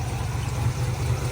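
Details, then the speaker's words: 1967 Ford Bronco, original 289 V8, three-speed manual, after carburetor change, points service, new starter and alternator: low, even idle burble with steady firing pulses, no misses, knocks or ticks; healthy engine. "Now it runs and drives really well. Motor sounds great. And I'll fire it up, have you guys hear it."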